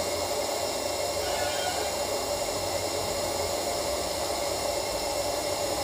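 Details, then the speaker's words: Sunshine 857DW+2 SMD rework station air pump, 10 days old, had weak airflow at low settings and noise; jammed motor freed with a little coconut oil: even, smooth airy hiss with steady motor tone, no strain or grinding; runs freely. "य देखिए इसका sound अब अच्छी तरह से आ रही है फ देते है मतलब इसका मोटर जाम हो हो चुकी थी इसलिए इसका प्रॉब्लम आ रही थी"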